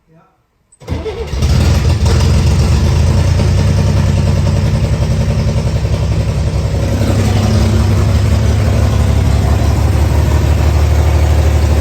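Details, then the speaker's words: 1964 Chevrolet Corvair, exhaust fallen off so louder, first run on gasoline after knocking on starter fluid: fires after a brief crank into a fast, smooth idle with no knock. Idle speed set too high. "yeah so there it was running on gas for the first time again and the knocking did go away it sounded way better the idol was set a little high"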